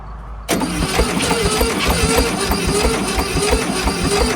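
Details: 1971 VW Super Beetle, sat 20+ years, on a weak jumper pack; slow steady cranking about four or five beats a second that never fires; cranks but no start, owners suspect weak cranking speed and low compression.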